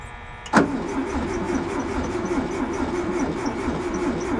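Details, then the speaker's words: VW Bus that sat 31 years in a field, plug wire reconnected, weak spark, starting fluid added, one valve suspected stuck open: starter spins the engine at a steady even cranking rhythm for several seconds, no firing on any cylinder. "Nothing. There we go. That. Just no booms on any of the cylinders."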